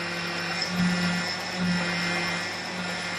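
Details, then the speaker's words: 1999 Hyundai Sonata: rough droning grinding groan over running engine swells twice when turning; suspected failing power steering pump, not confirmed, to be replaced. "If your car starts making a grinding noise like this, it's a possibility that the power steering pump has gone bad."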